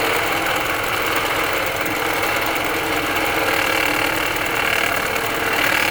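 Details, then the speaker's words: 2020 Ford Escape 1.5 running with the AC cycling: dense, gritty whir with a faint high whine and no knock. The noise is traced to the alternator; the water pump was first suspected but doesn't seem to be loose. "I don't hear nothing out of that water pump. I don't hear anything out of this AC that all have to all the order alterator instead."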